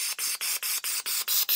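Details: Equilibar BR1 blockage-resistant back pressure regulator in a supercritical CO2 extraction setup with basil, piloted near 2,000 psi and holding 1,910–1,915 psi: a sharp high-pitched hiss in quick bursts about five a second with no low rumble. Gas is venting normally.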